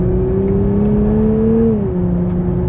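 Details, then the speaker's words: Nissan Fairlady Z Nismo on the road in Sport/Sport Plus mode, manual shifting: steady low exhaust drone rising with revs, dropping at shift; fairly loud drone absent in Standard mode, considered normal. "ada dengungannya cukup keras juga dengungannya Ah ini yang gak kedengaran waktu saya ngegas di showroom ternyata ada dengungannya"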